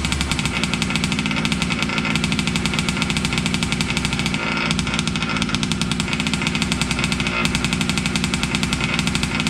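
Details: Losi 5T 2.0 gas two-stroke RC truck on VP fuel after about four to six months stored, choked, started on the workbench up on tires: a loud, crackly buzz holding steady with quick even pops, no misfire or stumble; normal running.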